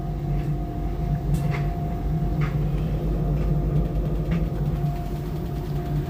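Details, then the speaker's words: LG washing machine at 600 rpm spin: heavy spin rumble with a steady whine and light taps roughly once a second, shaking the nearby fridge and dryer; done since new, cause unknown. "so basically whenever it gets to 600 it does that and it kind of makes tapping noises."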